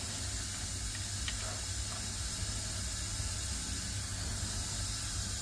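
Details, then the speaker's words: HGV trailer air leak heard around the rear axle, with a soft, steady hiss over a low engine rumble; an airbag, brake chamber or pipe was suspected, and the red brake line was found damaged by stones in the loom. "I could hear the air leak around the rear axle can you hear it I can oh it could be an airbag or it c"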